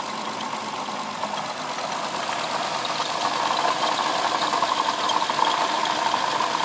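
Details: '07 Lexus IS350 idling: loose, uneven rattling tick about four per second with a faint squeak from the front side of the engine; owner suspects a bad water pump, unconfirmed.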